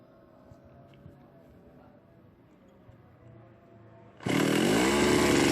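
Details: Small chainsaw, long dead with a missing top cover, plug connector and handle cap, after carburettor bracket repair: starts and runs with a loud steady buzz that climbs in pitch; owner advised to replace the carburettor bracket holder.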